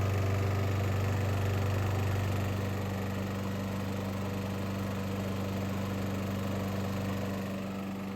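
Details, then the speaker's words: Warm scavenged mower at steady idle hum with a faint even metallic knock about three times a second appearing after warm-up; internal cause unknown, owner wonders about rod, piston or exhaust valve blow-by. "it's definitely something going on after it warms up there's a rhythmic knocking sound is it the rod you know is it anything with the Piston something like that I really don't know"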